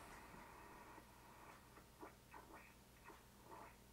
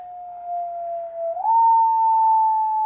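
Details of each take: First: ICOM 751A ham radio in sideband mode receiving a signal-generator carrier around 211 MHz: should be a pure tone but comes through as a chirping, broken warble; the PLL is hunting and not locking, causing distortion on the upper bands. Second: ICOM 751A ham radio receiving a signal-generator carrier in sideband mode during PLL repair (owner reports distortion on the upper bands): a single pure, steady mid-pitched tone, drifting slightly as the generator warms, with no warble or buzz. Clean carrier tone.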